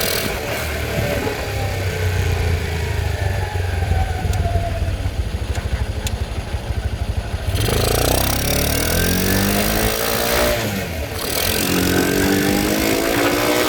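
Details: Icebear Fuerza motorcycle that won't start cold, with a suspected lean air-fuel mixture, fired by spraying starter fluid into the air filter. It catches and settles into a fairly steady, lumpy idle with a few throttle blips; normal running.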